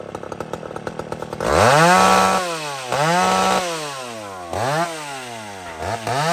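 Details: Old McCulloch chainsaw revved several times, snapping cleanly up to a high scream and dropping back without bogging or stutter. Runs properly.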